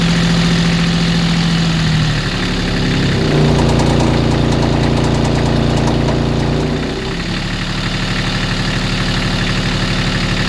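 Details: Kubota D1105 diesel, about 300 hours, fitted as a sailboat inboard, running on old tank diesel. Rough, regular knock only at idle that fades when revved. It once overheated after running out of coolant; owner suspects rod knock.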